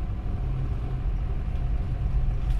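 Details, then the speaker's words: Isuzu Panther diesel road-tested after repair with new liners, pistons and rings: deep, even, smooth rumble with no harsh clatter, temperature stable; healthy engine. "Jadi jangan sampai ada suara kerang Suaranya yang bagus adalah keren rengreng itu"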